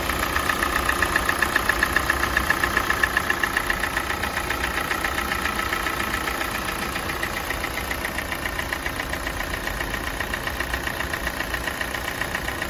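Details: Kia Sportage 4G 2017, G4NA engine, 265,500 km, warming idle: sharp even ticking knock about four beats per second, absent at cold start; owner thinks not piston slap, cause unknown.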